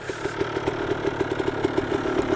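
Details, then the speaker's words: KTM 300 XC Slovakia Edition two-stroke dirt bike, freshly rebuilt: crisp, even idle popping about eight times a second, no misses or rattles; runs very well. Normal idle. "sounds super crisp listen to it ktm 300 slovakia all right my friend so the bike runs amazing you could hear it on the video and this thing is this thing is crisp it runs so good it runs so good man"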